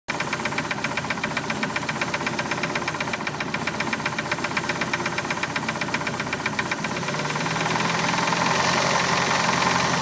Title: Engine knocking 87 mercruiser 3.0